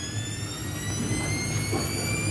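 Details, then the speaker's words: Samsung washing machine with 3C error, after repair, in spin test mode: smooth low drum hum under a clean high motor whine climbing through 400, 800, 1200 rpm steps, no scraping or knocking; normal spin ramp. "xong lên 400 rồi lên 800 mạch điện sẽ kiểm tra từng cái bước tốc độ của [âm nhạc] nó 800 xong lên 12 ở các giải tốc độ mạch điện nó sẽ kiểm tra và ở các giải tốc độ đều ok thì là sẽ không có vấn đề gì rồi"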